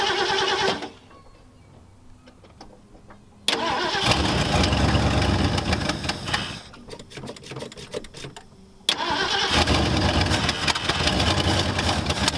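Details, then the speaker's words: 1974 Ford Galaxie 500 that sat two decades, after a new rotor restored spark: cranks, catches a few seconds, dies, then fires again; fuel starvation, running only off the accelerator pump squirts. "still does run he's only ran off the accelerator pump but it did Rudd actually squirting fuel now that's all I can get"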